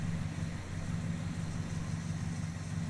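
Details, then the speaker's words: V8 Charger engine at a cold, rough idle, shaking and loping unevenly with occasional exhaust pops; the right bank reads much differently in temperature than the left: rough idle misfire. "You can hear it in the sound, too. It's misfiring. And it makes a pop every once in a while."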